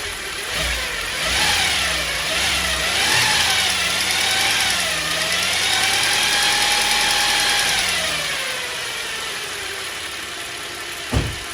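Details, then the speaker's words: 2010 Chevy Traverse power steering pump whine rising and falling with each rev over the engine note; worsened over weeks, persists after cleaning the reservoir and adding thicker fluid; steering works fine, pump suspected noisy and possibly failing. "Okay, guys, I'm just going to conclude that this pump is a noisy pump that's possibly going bad in the future."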